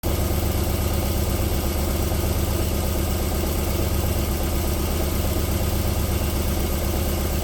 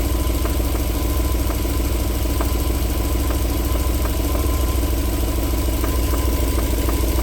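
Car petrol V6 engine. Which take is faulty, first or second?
second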